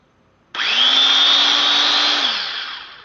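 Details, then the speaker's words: Power tool gearbox for a utility trailer build, after greasing: it spins up to a steady, even high whine and winds down smoothly, with none of the gear grinding heard before the grease was added. "Wow, I could hear the before I would hear the gears kind of grinding together a little bit. Now I got the grease in here,"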